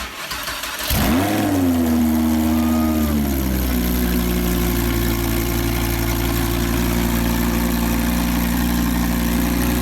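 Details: Wrecked Lamborghini Huracan, first start after collision repairs, no exhaust fitted (straight pipe with cats), starter bridged: catches, flares up in revs, then drops to a smooth, steady, deep idle; starts and runs healthy.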